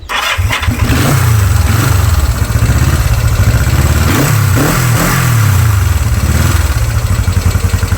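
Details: Restored Honda twin: electric starter whirs briefly, then the engine catches and settles into a steady, even idle with light throttle blips; normal start and idle.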